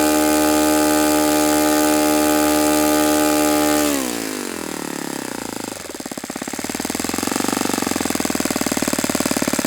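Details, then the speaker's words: Saito FA-91S model four-stroke glow engine, not run in many years, on a test stand on a chilly ~60°F day, running a Fox Miracle plug after a rough start: crisp full-throttle buzz eases cleanly to a steady idle, then picks back up smoothly; healthy, normal running. "Okay, that's a beautiful running engine. It's a beautiful engine."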